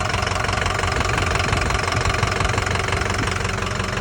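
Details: 2005 Ford F350 6.0 Powerstroke diesel: sharp, regular heavy metallic knocking about three times a second over a rough idle; bad internal engine knock.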